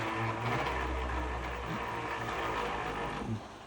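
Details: Tallboy custom Vcore Pro 1.3 3D printer Z axis: loud, low, steady groaning drone only while moving down, quiet going up. There is also wobble, which the owner thinks began after ramming it into the nozzle. Cause unclear.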